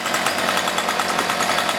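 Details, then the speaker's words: Cheap light home two-stroke weed eater, choked and warmed up, high and low idle already adjusted: harsh buzzing drone that stays flat and won't rev under throttle, bogging attributed to a clogged muffler spark arrestor screen. "Which that bogging noise on 4-stroke, 2 strokes, 4 strokes won't do it, but 2 strokes will try to clog up on the muffler, which allows air to go back through."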